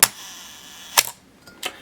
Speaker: 1/4th, 1/2, 1 full second. Little sluggish there, I think. Let's listen to that again.